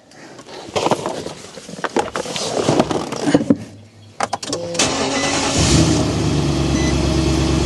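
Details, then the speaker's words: Nissan Titan cranked after ECU swap and Consult programming, aimed at the hesitation and shut-off problem: a few seconds of strong quick cranking, catches cleanly into a steady even run; healthy start, still to be monitored. "So you can hear there's a nice strong crank. Everything sounds good."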